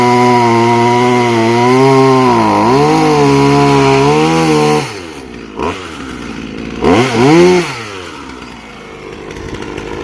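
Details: Chainsaw rebuilt from parts of three broken saws, chain tension just adjusted, first start: fires up and revs smoothly up and down with clean even buzz, then drops off and dies; runs healthy.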